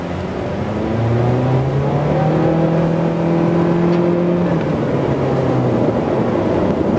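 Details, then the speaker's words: 2017 Honda Civic (10th gen) with a 1.8-litre engine, economy mode off, under hard acceleration on the road: a loud engine drone climbs steadily in pitch with no knock or rattle. The engine is healthy but noisy when pushed. "now we will try the pickup of this car I have just turned off the economy mode and let's see what it has"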